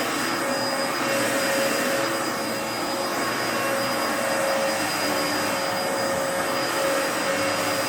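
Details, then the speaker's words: 2004 Dyson DC14 Animal vacuum, fixed up and on its first run since a new HEPA filter: a steady rushing roar with a thin constant high whine. The owner says the motor bearings sound a bit funky, whining after a while. "the bearings do sound a little bit funky a little bit of a whine to them whenever I you know just after a while"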